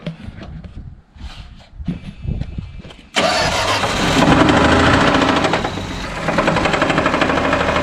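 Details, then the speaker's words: 1978 Plymouth Volare slant six, restarted after adding Lucas oil additive: a few cranks, then rough running with a regular lower-end rapping under idle; the knock remains, additive did not fix it. "Well, the Lucas didn't work, guys. What are you gonna do? I knew it was too good to be true."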